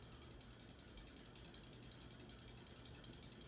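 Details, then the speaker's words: 1980s Hunter Custom Home 52" ceiling fan with walnut blades, running at about medium-high speed: quiet running with light, irregular clicking about twice a second over a soft hum. Owner wishes for tape to stop the rattle, cause unknown. "I just wish I had some tape on me. I just don't have any to get rid of that sound."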